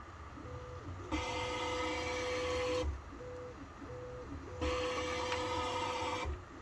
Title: Ender 3 V2 stepper motor grinding sound problem